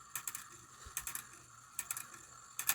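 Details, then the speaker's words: Antique cuckoo quail clock, about 1900-1914, after a brass washer was added to tighten the count wheel, high note lever disconnected: light mechanical clicks in short bursts as the strike train counts cleanly; working normally. "I don't have the high note lever connected uh activated anymore that's why you don't hear that all the bouncing you still have the low note lever"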